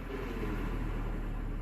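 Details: 2011 Scion tC manual transmission, idling with clutch pressed in: steady low idle rumble, no whir or rattle from gearbox; runs fine, contrasting input shaft bearing noise heard with clutch out in neutral.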